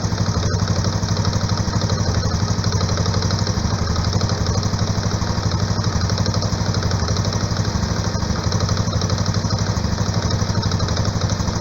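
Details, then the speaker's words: 2011/2012 Honda Biz Ex 125 single-cylinder, cold idle; sharp even tick-tick about four times a second from the clutch side of the engine, absent when warm. Ticking noise on cold idle, likely loose clutch basket. "é um take que faz aqui do lado da embreagem bem aqui o barulho que vem aqui eu vou deixar vocês ouvindo aí você consegue escutar o tech tech tech tech tech"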